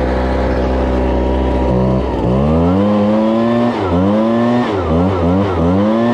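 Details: Two-stroke blower with a 42cc engine rated 510 CFM, started choked on fuel left from use about two months earlier; settles from a fast idle, then revs cleanly in quick throttle blips, pitch rising and falling smoothly; normal running.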